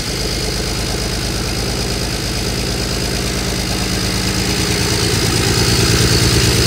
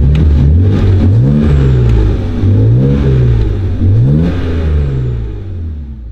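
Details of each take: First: BMW E92 335i with N54 engine after a complete engine swap: rough, uneven idle stumbling about three times a second with a lumpy exhaust note and a loud exhaust pop; misfire, owner suspects a failed or damaged injector. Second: BMW E92 335i with N54 engine after a complete engine swap, warmed up after first start, no leaks: engine pitch rises and falls cleanly with each throttle blip, smooth and even with no stumble; runs healthy.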